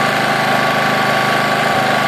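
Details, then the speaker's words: Honda EX800 generator after tune-up, just started: steady single-cylinder drone at low even speed with no hunting; Hertz meter reads 50 Hz instead of 60, governor set slow; running underspeed. "little white square and that's telling me it's running at 50 Hertz I hope you guys can see that there"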